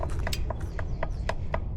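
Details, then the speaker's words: Specialized Crux gravel bike with a known headset creak: sharp, evenly spaced clicks about four a second when pressing hard with the front brake held. A creak plus slight play in the upper headset, fixed with a new upper headset assembly. "you hear that clicking, that's play in the headset, but it actually requires a fair bit of force to get it to kind of click like that."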